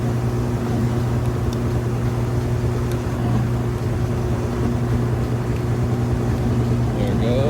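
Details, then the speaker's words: Kenmore electric washer-dryer laundry center (belt and tensioner pulley system) spinning near full speed: steady low hum with drain pump still running, smooth and balanced, no knocking; healthy spin. "You can still hear the drain running, but it's got a nice fast spin, smooth and balanced."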